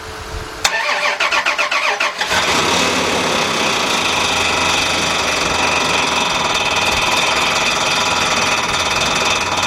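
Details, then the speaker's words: 1999 Dodge Dakota Sport 3.9 after engine replacement, first start: fires and settles to a rough idle with a fast, light slapping tick at engine speed; fan blade hitting the shroud, motor mounts possibly sagging. "no you stand it back and let's find out what the heck that noise was dang it the fan still hitting"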